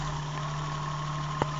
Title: Rattle sound